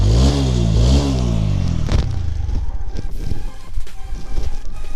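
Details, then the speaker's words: TVS Apache RTR 160 4V silencer after repair: the broken internal mesh that caused a phat-phat sound was fixed by drilling two holes and gas-welding them shut. Two clean revs, then a steady idle with no rasp or leak; the exhaust sounds sealed. "Fully आपने sound check कर ली होगी और देखा होगा sound कैसी आ रही है बिल्कुल भी जाली फटने वाली आवाज नहीं रही है मेरी बाइक की मेरे बाइक में"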